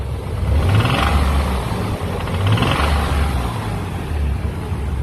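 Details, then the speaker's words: Nissan Z32 V6 suspected of rod knock, revved in two bursts with cylinder 6 coil pack plugged back in after sounding normal unplugged; deep knock rides the rising revs, worn rod bearing on cylinder 6. "rod knock. So, that's how you find it without dropping the oil pin."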